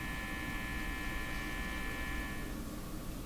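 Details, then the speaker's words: National HRO Sixty communications receiver: a steady low hum with a faint buzz and no signal underneath; it is receiving but hum persists, possibly from the signal tracer itself; mains hum. "So the radio's receiving. It's just nothing to receive. So the hum is the issue still."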